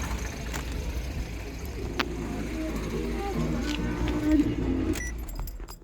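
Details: New timing chain on a 1.6 THP at idle: light, even chain rustle with faint ticking, no heavy clatter; normal chain friction noise, a slight cold noise coming from the cylinder head, not the chain.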